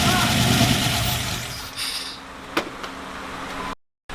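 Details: V8 LS-swapped Ram 1500 first start after swap: loud uneven roar as the engine catches and fires, then drops to a steadier lower idle and keeps running normally.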